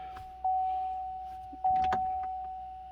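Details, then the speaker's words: Chevrolet Colorado ZR2 Bison 3.6L V6 with newly installed Mallett supercharger, PCM reflashed, cooling system bled, hood open, key on engine off; steady even hum from the front as the intercooler coolant pump runs smoothly, normal electric pump operation. "you should be able to hear that noise coming from the front as the turnkey on we'll have the intercooler pump running"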